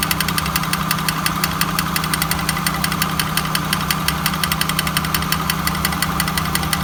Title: 1999 honda accord grinding sound